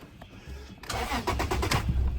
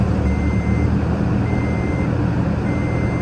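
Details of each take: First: 2008 Toyota Tacoma 4.0L that died on the highway, no codes, restarts but dies after seconds: engine cranks, catches and runs unevenly with surging revs, kept alive by feathering throttle, dying when held steady. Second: 2008 Toyota Tacoma 4.0L that died on the highway and stalled about 2 seconds after each restart, now running with the resistor in a connector jumped by a wire: steady, even idle with no stumble, reversing beeper nearby. Normal idle after the fix.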